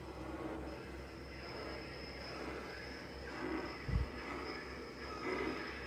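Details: Frigidaire Gallery refrigerator makes many very loud random noises, audible from another room, even after two repair attempts: steady hum broken by a sharp thump and brief creaking or gurgling surges; cause unknown.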